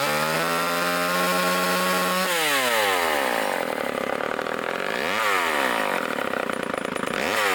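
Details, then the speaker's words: Vintage Craftsman two-stroke chainsaw after new air filter, fuel line, fuel filter and rebuilt carburetor, cutting wood: high steady buzz, pitch drops and recovers cleanly under load; strong, even running. "it's all nice and sharp wow runs good got a new air filter new fuel line new fuel filter rebuilt the carbet trator great it runs actually really good for as old as it is"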